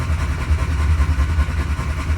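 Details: 1968 Austin 1100 Mk1 A-Series, not run for 3-4 months after mechanical work, cranked in neutral with coil disconnected to build oil pressure: steady low churning starter beat without firing; normal cranking, nothing rough or binding.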